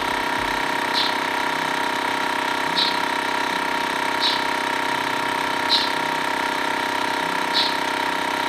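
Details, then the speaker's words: TACKLIFE M1 portable tire inflator pumping a bike tire toward a 60 psi target; even steady drone with small clicks about every 1.5 seconds, screwed-on valve connector sealed, no hissing. Normal running without leaks. "you screw it on whatever the case may be it screwed on fine to the bike i didn't hear any hissing it wasn't letting out air"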